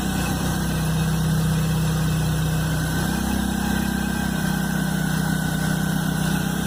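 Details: Chevrolet Blazer at cold idle, noise first heard the morning after a mechanic replaced the timing belt and upper belt: strong low hum that steps slightly in pitch midway; source unknown.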